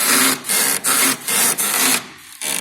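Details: VW Jetta with the suspension rocked: a rhythmic rubbery creak about two strokes a second from dried, loose stabilizer bar bushings on both sides; the fix is new bushings with clamps.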